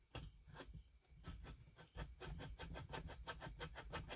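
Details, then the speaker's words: Chainsaw with the crankshaft oil seals removed, crank rocked by hand: gritty scraping strokes about three per second; the crankshaft bearings feel rough, probably not grit, so they will be replaced. "I don't think it's grit. Not comfortable at this point, buddy. I'm not comfortable with them."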